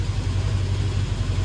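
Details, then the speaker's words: KRX steering rack after Class 1 Motorsports bushings, new boots and seal, and properly tightened tie rod: steady even idle rumble, no knocks or clunks, no binding; steering tight and quiet. "no binding nothing but smooth operation very nice so that's really awesome news"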